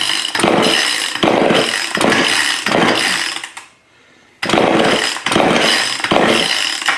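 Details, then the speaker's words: Old neglected Craftsman two-stroke chainsaw after partial carburetor rebuild with a corrected diaphragm, primed with gasoline, on choke: repeated pull-start bursts, each catching briefly with a raspy sputter then fading; fires but won't keep running yet. "that sounds very promising a little bit working on it"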